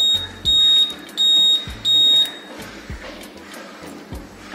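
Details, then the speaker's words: Old model CI Royal Enfield Bullet 350 with an added Uno Minda electronic flasher with buzzer: high-pitched beeps about every two-thirds of a second over soft relay clicks, with ignition and indicator on; buzzer working normally. "जो आपने सुना जैसी में connection on कर तो मेरे bike से आवाज आती है उसके बाद अगर मैं इंडिकेटर ऑन करो तो फिर भी बीत गया हो जाएगी"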